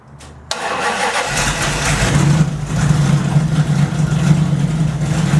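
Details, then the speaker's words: 1929 Chrysler restarted slightly warmed up with new DIY 2.5-inch exhaust downpipes, new hoses and sending unit: starter catches at once, steady low idle with an even note, no leaks or misses heard; normal idle, exhaust blew out cleanly. "Sounds much better. Looks like my fancy muffler here worked good."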